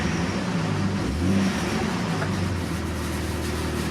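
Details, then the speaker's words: Jeep XJ (Limited) barn find, just after oil pump replacement, run to warm up with oil pressure now present: smooth rev rise of about one second then steady even run without knocks or rattles; sounds a lot better. "it sounds a lot better to"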